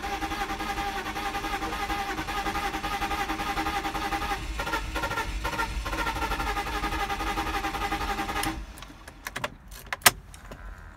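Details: BMW E46 320Ci suddenly won't start: the starter spins evenly for about eight seconds but the engine never fires, then it cuts out with clicks; cause unknown.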